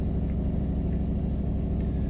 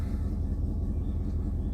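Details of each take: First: 2000 Dodge Durango 5.9 V8 idling, not fully warmed up, with a heavy rapid low puffing pulse over the rumble from an exhaust leak; check-engine light for the auxiliary fan after a relay replacement. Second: 2000 Dodge Durango 5.9 after a "no bus" wait of 8 minutes, then the fuel pump primes: starts and runs with a smooth even idle, no knocks or stumbles; the fault was later traced to a burned fan harness wire; normal idle.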